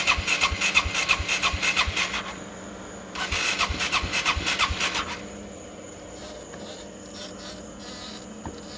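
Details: GY6 scooter engine with Speeduino 0.4.0 ECU, intermittent no start with VR conditioner flashing, battery on charger: two bursts of quick even cranking about three beats a second, stopping without catching; cranks but won't fire.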